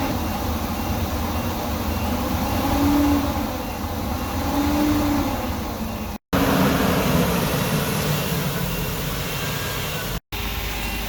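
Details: Workhorse W22/W24 chassis 8.1 Vortec with radiator blocked off, engine at 225°F: steady deep whooshing roar over engine as the fan clutch finally locks up (expected near 205); normal fan clutch engagement.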